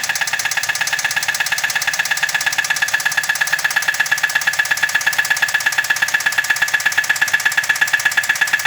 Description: The engine is knocking in this car. Engine knock noise.